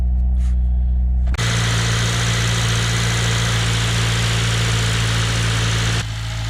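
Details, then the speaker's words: Honda Civic with K24 swap after replacing worn crank pulley with new Honda OEM one: steady even low idle hum, high-pitched rotational whine gone; normal idle. "We are good to go, guys. Good to go. No more of that. No more of that high pitch rotational noise. Fix the problem, guys."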